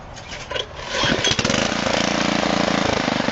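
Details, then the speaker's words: MTD Yard Machines rototiller, 5 hp OHV engine, not cold but sat a while, after valve adjustment secured with locking nuts: catches after a few pulls, steady even putt about four firings a second; runs well. "she starts and runs, and I'm happy with her."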